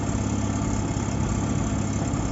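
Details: 2005 VW Gol G4 1.0 8v Power engine idling quietly with steady even hum, no tappet (lifter) ticking, after top-end repair for tappet noise and oil leaks.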